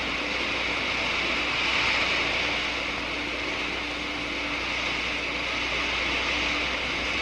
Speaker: The water changes to steam and the subsequent collapse of the bubbles which you can hear creates enormous stresses in the wall.